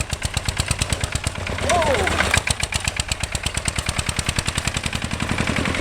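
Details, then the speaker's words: 1966 Lister LD1 single-cylinder diesel on restored auto truck, completely rebuilt, just cold-started on a freezing day: crisp, evenly spaced thumps, roughly eight a second, steady and identical; healthy idle. "stick the plunger down and then she should start up now a bit cold today we should go it works"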